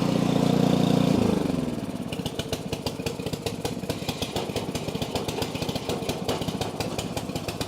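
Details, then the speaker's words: Snow blower small engine with auger engaged: steady running with a fast, uneven rattle about four beats a second. Belt seems about to be thrown, possibly a bearing, cause not confirmed. "Oh, dude. That thing is absolutely going to throw that belt. It's absolutely going to throw it."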